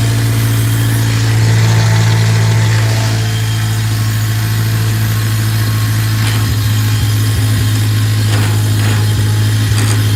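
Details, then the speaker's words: Newly bought leaking tractor in neutral idles low and unevenly, wavering and wanting to die. Water in the fuel is suspected despite fresh gas; rough running. "That did not sound good at all. Dang. Huh. I wonder what the problem is here. Sounds like water in the fuel."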